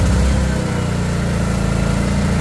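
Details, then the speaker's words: Greenfield 4000 W inverter generator just push-started with choke on: lumpy, pulsing, bogged-down beat, engine labouring because of the choke. "Ayan, parang hirap na hirap ang makina. Bakit? Kasi naka-choke."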